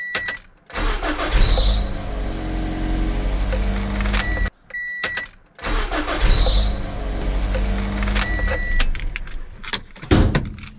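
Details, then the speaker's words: Car engine starting twice, each with brief high-pitched squeal as it catches then steady idle; belt squeal on startup, suspected old belt, pulley misalignment or tensioner, fixed with dielectric grease. "most of the cars make squeaky sound when start that's what we call high-pitched"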